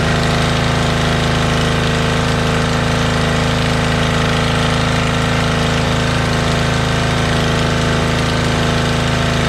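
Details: Motorbike started outdoors; when bought it ran poorly and its carbs were filthy: loud, steady, even thumping idle with a hard, slightly open exhaust note and no misses. Normal idle, owner confirms both cylinders are running.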